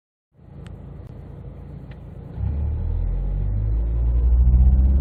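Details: 2008 Fiat Bravo after fixing a rattle under the dashboard that was loudest around 2000 rpm: the engine rumble builds smoothly with revs and nothing rattles or buzzes behind the dash.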